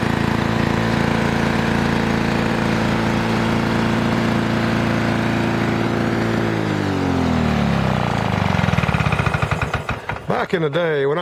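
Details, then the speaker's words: Restored 1982 Lawn Boy Scamp 4503 20-inch push mower, 4 hp F Series two-stroke, new parts breaking in: strong, steady buzz holding even speed then winding down smoothly; runs clean. "that's a good strong four horsepower F Series engine and I've been completely restored right here folks and it is absolutely ready to go beautiful machine"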